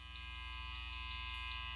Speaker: So I'm going to turn the guitar from 1 to 10. Now my amplifier is set to between 2 and 3. And you can hear that glorious 60 cycle hum.